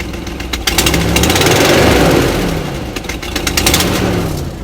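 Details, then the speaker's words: Engine idling with a loud, raspy puffing about four times a second from a long-known exhaust leak with fumes; even louder when climbing hills or accelerating; recording understates the actual loudness. "so like I'll turn this on you'll hear the noise here you'll see what I mean like you know there's an exhaust leak I've known about for a long time of course there's fumes you know and like this is"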